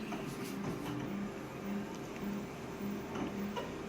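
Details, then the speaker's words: Konica Minolta copier/scanner during a scan pass: short squeaky tones and light ticks about twice a second over a low machine hum; the squeak comes from the scanner. "that squeak that was the scanner so this machine's got quite a lot of noises that I hear on it quite a bit"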